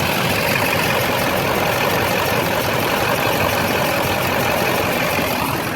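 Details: LB7 Duramax diesel with a stuck injector, believed on the driver's side, idling mid injector-cleaning attempt with smoke reduced; loud clattery idle with an uneven, lumpy beat under the rattle.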